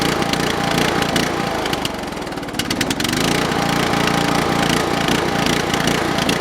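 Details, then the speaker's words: Briggs & Stratton 13 hp OHV on an MTD/White LT300 tractor, started after reassembly with a used snowmobile fuel filter fitted. Revs rise and sag, dipping then recovering; owner suspects water in the float bowl, surging. "yeah that thing's really not happy now uh I'm going to have to take we going have to drain the stupid float bowl out there must be some water in there"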